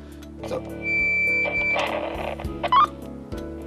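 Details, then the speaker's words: CB radio transmitting with the talk button held while the microphone cord is moved: scratchy crackling and brief dropouts; cord wires suspected cracked inside, not confirmed. "słychać takie chrobotanie i przerywa. No cały czas wciśnięty trzymam przycisk nadawania i ruszam przewodem."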